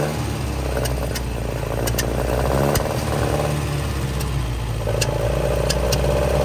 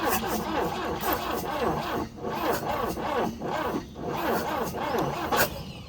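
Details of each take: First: 1966 Volvo Amazon 122 estate, abandoned car jump-started from another Volvo: four-cylinder runs steadily with a low even beat, picks up smoothly on light revs, a suspected lean backfire, possibly running low on fuel; normal running. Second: 1966 Volvo Amazon 122 estate, carbureted, first start attempt after long storage with a little choke: slow, labored cranking that bogs on each compression and barely catches before dying; tired, weak starter, no start after 30 minutes of cranking.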